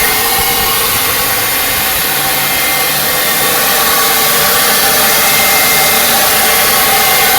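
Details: 2003 VW Jetta 2.0L petrol on cold start: loud steady high-pitched whir over the engine lasting about 30 seconds, only when cold or after sitting hours; began right after new spark plugs and cables were installed.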